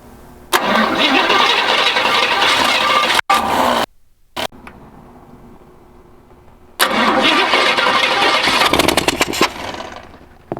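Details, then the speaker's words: 1953 GMC pickup with a hot-wired ignition, first start attempt during bodywork: two bursts of steady cranking at about three to four turns a second with no firing; suspected battery too low on charge. "oh no not the battery yeah we don't got enough juice in the battery"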